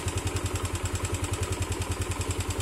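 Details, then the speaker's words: Old Yamaha Mio Sol scooter after carburetor needle replacement and float setting, which before needed throttle to start and wouldn't idle; small single ticks over at an even, steady beat of about nine pulses a second with no stumbling. "Oke, sudah langsam ya, tanpa digas langsung hidup. Sebelumnya tidak seperti ini ya. Sebelumnya kita harus gas dulu ya, baru nyala."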